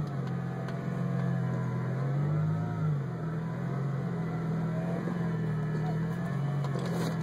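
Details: 2003 Roush Stage 1 Mustang: steady low engine drone with a brief wavering swell about two seconds in; strange clutch-area noise, cause unclear.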